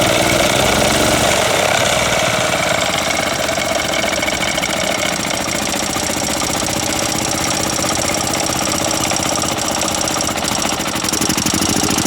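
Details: Older Yamaha golf cart single-cylinder engine after fuel system overhaul, fuel now reaching the carburetor: buzzing fast and rattly on choke, holding a steady pace without misses; runs fine now.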